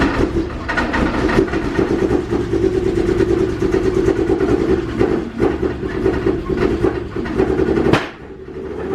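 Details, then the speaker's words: LHD Nissan 180SX/S14 drift car: a ragged, uneven idle broken by sharp gunshot-like cracks and pops, described as running very fuely (rich); cause suspected, not confirmed. "Fuely. Very fuely. He said very fuely for those who didn't hear."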